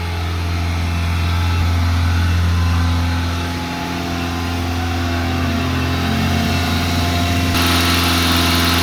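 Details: 1987 Honda Accord, 130k miles: fast idle won't kick off, engine holds a steady high drone around 2500-3000 rpm even at operating temperature; idle stuck high.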